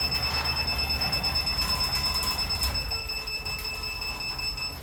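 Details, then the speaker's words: DC Blue Advanced garage door opener motor during limit reset: after pressing set, it beeps regularly over a soft motor hum while opening and closing to learn the programmed limits; normal limit-programming beeps. "Then it will start programming. You will hear that beeping sound."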